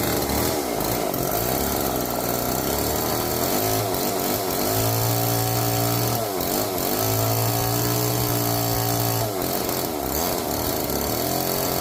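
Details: Old neglected Homelite chainsaw, previously seized, revived with bar oil added and chain loosened; two-stroke buzzes at idle, revs twice to a high steady scream and drops back cleanly, runs healthy.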